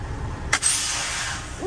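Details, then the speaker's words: Freightliner FLD after quick release valve replacement, air pressure in the 110s psi: a sharp, hard puff of air then a steady fading hiss; the quick release valve now exhausts much harder, clean and strong. "Woo, and that thing hits a lot harder now. Quick release valve."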